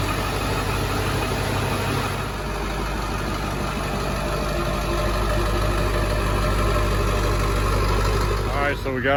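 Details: 7.3 diesel truck idling right after EBPV delete and Wicked Wheel 2 turbo install: steady diesel clatter, even low rumble, no hunting or misses; normal idle.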